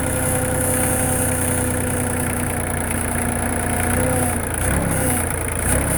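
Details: LK3054 diesel idling after a low-speed trip down the road, outside temperature 45°F: a steady idle with a thin, high whine that comes and goes near the hydraulic pump. Abnormal noise, cause unknown.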